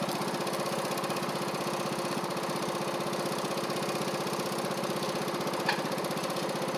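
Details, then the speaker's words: Troy-Bilt Horse XP on a new replacement engine, cutting passes after an overnight sit; it didn't want to start that morning. Even, steady single-cylinder thump holding speed under cutting load, no misses or surging. New battery, oil topped off. Healthy normal running under load. "I'm going to show you that it runs and drives and cuts like it's supposed to now. And this mower is going to be extremely nice."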